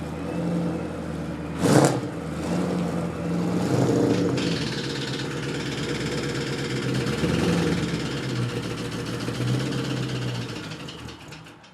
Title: Saleen extreme rod knock